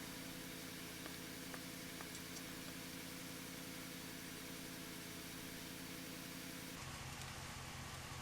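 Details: 1997 Mitsubishi Eclipse GSX with 2G stock wiring: steady, even cranking but never fires; crank no-start, owner suspects timing or cam angle sensor issue.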